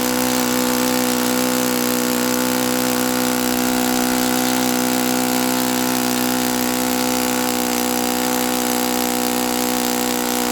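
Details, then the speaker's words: Saito FA-82a four-stroke glow engine after spring replacement, timing, valve lash and springs confirmed good, plug swapped to O.S. F: steady high full-throttle buzz pitched too low, short of ~9,000 RPM expected on 14x6 prop; cause unknown. "I'm pretty sure this is a 146 prop, which means it should be turning around 9,000 something RPM. And it doesn't even sound right at top at full at full throttle."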